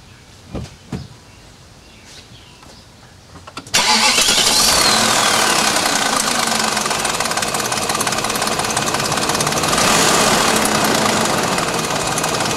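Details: 2000 BMW 740iL engine starting and idling with fast regular light tick; owner suspects chain guides or VANOS. Engine ticking, cause not confirmed.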